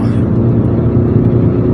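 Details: 22-year-old, 300,000 km common-rail JTD-family diesel after high-pressure pump rebuild for P0090/P0091; third gear full throttle, rail pressure about 1340 bar matching target; deep steady roar builds smoothly, no knocks or misses, pulls very well, normal acceleration.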